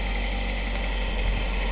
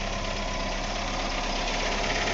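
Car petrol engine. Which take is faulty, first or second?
second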